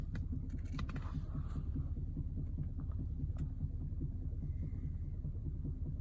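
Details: 2015 Lexus RX 350 while driving: low dull rear knocks, about two or three a second, thudding under heavy road rumble.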